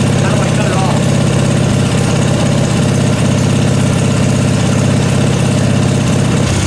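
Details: Briggs & Stratton 16 hp 479cc Vanguard V-twin in an off-road go-kart, after carburetor deep-cleaned: even lumpy idle with steady firing pulses, no misses or knocks; runs really good.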